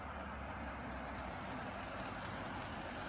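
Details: 2014 Range Rover L405 at about 20 mph: thin steady high-pitched brake squeal over low road rumble, recurring every 3–4k miles until pads and rotors are replaced.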